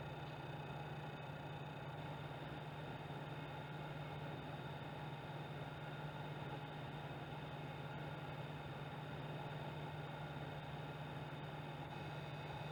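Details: PS4 Pro running Rise of the Tomb Raider with different Pro options: steady low buzz over soft fan hiss, unchanging pitch; buzzing, cause unknown.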